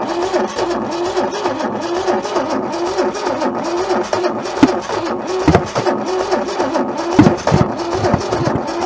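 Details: Junkyard Holden engine left sitting for decades, first start attempt: slow, labouring crank that surges and sags unevenly, suggesting low compression on a cylinder, perhaps a sticking valve.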